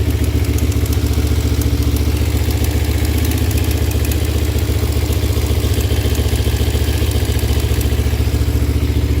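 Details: Kawasaki Ninja 250 at idle: steady idle with a crisp, regular tick, nearly four a second, over the engine's low beat; source of the ticking unclear.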